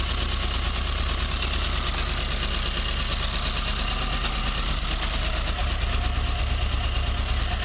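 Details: Toyota 4A-GE 20-valve blacktop, cold idle: light quick ticking apparently from the exhaust header, disappearing at high revs, with smoke when revved high; cause unknown.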